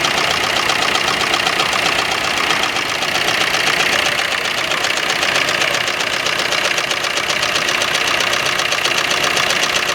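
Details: Maruti Suzuki Ertiga diesel at idle: loud diesel clatter with a regular stumble about four times per second, running rough and uneven; a misfiring cylinder, cause unconfirmed.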